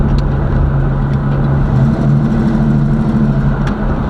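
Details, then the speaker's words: Chevrolet Caprice box Chevy, small block V8, on a test drive checking transmission shifting: deep steady rumble under way, even firing, no knocks or misses; healthy but owner says very slow. "but it it sound good though you know what I'm saying it sound really good but it's just super super slow"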